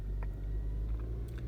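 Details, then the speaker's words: 2012 Hyundai Santa Fe 2.4L, manual, 236,000 on it, with P0017 and P0079 codes; revved and held at a steady raised rpm, smooth even drone with no misses, variable valve timing cam readings holding steady, as wanted. "So if you rev up the engine and you kind of hold it somewhere, you know, we see that they're holding pretty steady."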